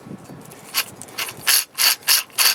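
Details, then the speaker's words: 2004 Jeep Liberty 3.7L front wheel hub bearing, old unit removed and spun by hand: dry gritty rasp in repeating surges where it should be silent; worn wheel bearing, being replaced. "not supposed to sound like that it's supposed to make no noise"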